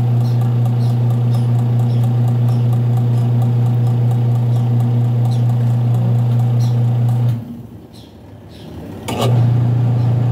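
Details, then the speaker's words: Washing machine wash motor, checked underneath with the timer on: steady low motor hum with a light rapid patter that cuts out and restarts. The motor pulley slips on the drive belt, so the pulsator stays still; slipping drive belt. "Umi-slide yung motor. Yung puli ng motor, umi-slide na sa belt. Umi-slide na yung puli ng motor sa driving, sa belt drive o driver."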